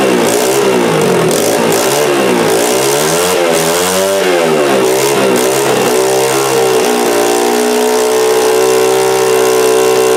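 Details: Honda XR80R first start, fuel on reserve, carburetor not leaking: loud single revs cleanly then settles to a smooth even idle with no hesitation; normal running and idle.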